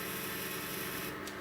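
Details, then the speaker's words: Chinese laser cutter running RDWorks, stepper motor axis at about 10 mm/s: a rough, buzzing, gritty rasp as the head creeps slowly; the stepper is audibly vibrating, low-speed resonance. "let's go back to something like ten milliliters a second let's just listen to the stepper motor we can definitely hear it vibrating"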